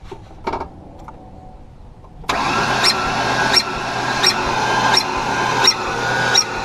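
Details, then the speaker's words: 2007 Ford Ranger that won't start after being in a ditch, with oil in the airbox and a rod bearing suspected; starter drags the engine over slowly and unevenly, about two turns a second, never catching. "We're gonna see if it turns over any faster. Because if it doesn't, it might have a serious problem."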